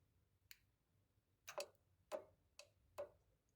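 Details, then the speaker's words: 1986 VW T25, 1.6 JX diesel, engine not running, ignition on: sharp irregular clicks about every half second from the fuel cut-off solenoid, which seems to have livened up after earlier not-starting attempts. "Okay, there's something on ChatGPT that I use before I go delving into forums and stuff about the fuel cut-off solenoid, which you'll imagine is this. The ignition's on."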